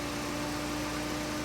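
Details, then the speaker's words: 2.4 Ecotec after low fuel pressure fix (codes P0228C, P0171), warm after ~20 minutes running, fan cycling properly, no codes: steady even idle with constant mid-pitched hum, no misses or surging; normal idle. "today she's been running about 20 minutes fan cycling like it's supposed to it wasn't doing that before when that fuel pump was messed up"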